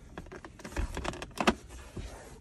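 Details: Ford F-150 center console lid rocked by hand, loose plastic clacking because the small rubber bumpers under the lid are missing; fixed by fitting rubber feet salvaged from a small appliance.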